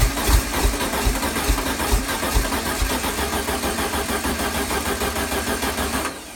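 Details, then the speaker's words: 1973 VW Super Beetle engine, start attempt after overhaul; slow uneven cranking around three beats a second with a few weak catches, never fires; owner suspects fuel delivery problem and low battery. "well the good news is the engine is trying to start I do have fuel delivery problem i'll try to troubleshoot it and also recharge my battery because it sounds like it's running low"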